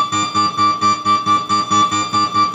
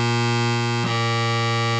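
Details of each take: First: Oberheim OB-X synthesizer after repair of mouse-urine corrosion and shorted voltage rails, not yet calibrated: clean evenly repeated chord notes, crisp attacks, no squeaking note any more, responding to controls; normal synthesizer note output. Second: Oberheim OB-X synthesizer under repair after mouse-urine damage and shorted voltage rails: held note clicks and jumps in tone as it loses contact and switches to the next voice card; dirty key contacts and bus bar, to be cleaned.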